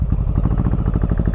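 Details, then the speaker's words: Yamaha Virago 1100 V-twin at idle/low revs: lumpy, uneven thumping with beats dropping out as the rear cylinder stops firing despite spark being present. Suspected fuel-related; the carburettors were later found to have a failed float valve. "it does only seem to be on low revs or on idle as you can you can hear it that's just one ceiling that i can literally pull this off yeah and it's nothing"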